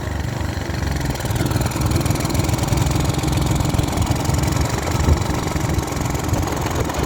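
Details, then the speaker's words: Small single-cylinder pressure washer engine being deliberately fed a can of the wrong fuel into its tank: low, uneven, loping chugging with a diesel-like clatter; rough running on the wrong fuel. "I mean, it might as well be a diesel. It sounds like a diesel. It runs on hopes, dreams, and prayers. And as much this shit as I can dump down its fuel tank."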